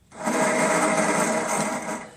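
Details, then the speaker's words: Toro 6.75HP GTS Recycler 22 Personal Pace mower, key start after half-hour battery charge: steady high whir spins up fast with no cranking beat; starter freewheels because stripped plastic drive gear won't engage flywheel teeth. "that's the starter motor working however the plastic gear cog is stripped so therefore the motor is running however the plastic gear isn't grasping onto the flywheel teeth and it's not spinning the flywheel"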